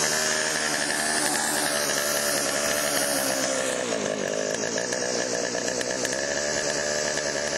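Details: Chainsaw after Texas ice storm, refueled with chain lube added and a priming squirt into cylinder via spark plug hole: strong even two-stroke buzz with one smooth dip and recovery, no misses or sputter; runs healthy.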